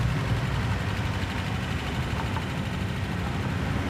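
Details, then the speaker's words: V8 driving on the road with road noise: deep rumble with a light lifter clatter on top, the worst it has been. Lifter tick. "Ah, that lifter clatter is the worst. Oh, I hope that lifter doesn't break while we're doing this. This is the worst it's ever done it."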